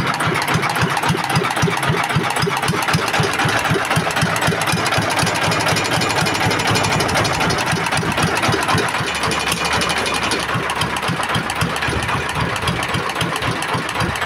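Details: S1125 single-cylinder diesel after repairing a knock caused by running out of oil, oil indicator good, exhaust and air filter not yet fitted: even steady beat about four firings a second, knocking gone; normal healthy idle.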